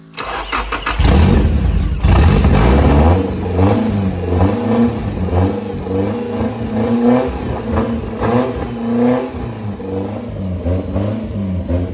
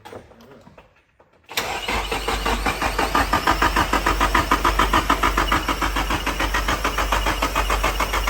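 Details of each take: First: Nissan 240SX S13 hatch with S15 naturally aspirated SR20DE swap, first start, straight-piped with no exhaust: very loud raw open rasp with throttle blips and a lumpy settle. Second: Nissan 240SX S13 hatch with swapped S15 naturally aspirated SR20DE, first start attempt: starter cranks steadily about three turns a second, no firing, fuel pump off to prime oil.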